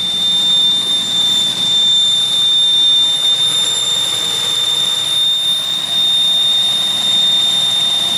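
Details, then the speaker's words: 2001 Pontiac Aztek just revived after sitting since February: steady piercing high whistle at idle, pitch constant; misfire still reported, cause unidentified. "okay let's see what happens here's the whistle"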